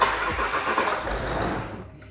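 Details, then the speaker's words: £600 luxury 4x4 with low coolant and an oil leak: starter churns unevenly about two seconds without a clean catch; sounds better after a jump pack. "what that didn't sound good no still doesn't sound good"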